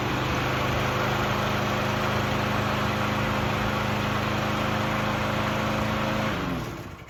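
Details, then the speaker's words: Craftsman 6.75 HP 21-inch self-propelled mower after the bent throttle cable was moved to the furthest-forward hole, which holds the throttle wide open. It had not been getting enough throttle to idle high enough. Now a strong, steady drone with no surging: normal running at full throttle. "right, guys. It runs pretty good. Let me show you what I fixed here. So, what I did was I moved this bent cable to the furthest hole forward, which essentially holds the throttle wide open."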